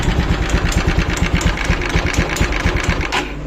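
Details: TVS Apache 200cc motorcycle with new piston, old rocker: sharp quick taps about five a second over the small engine's idle; top-end tapping noise, cause unknown.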